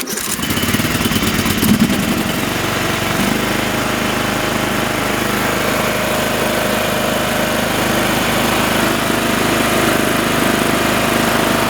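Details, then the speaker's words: Briggs & Stratton engine on a Time Cutter Z480 mower that wouldn't start, with spark and valves checked OK, after replacing the flywheel key, shroud off: brief crank, then a steady even drone with no misses; running fine. "Okay, all is good. I wanted to check for oil leaks here while I had the cover off."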